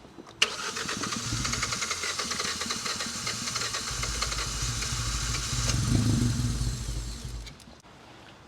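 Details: 2016 Hyundai i20, abandoned non-runner, with new air filter and extra air given: the engine fires and runs roughly about seven seconds, swells briefly, then stalls; no fault codes, fuel rail pressure good, cause not yet found.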